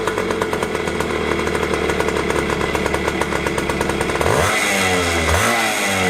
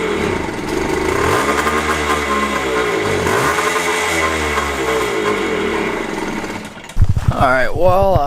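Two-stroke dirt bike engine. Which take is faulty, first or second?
second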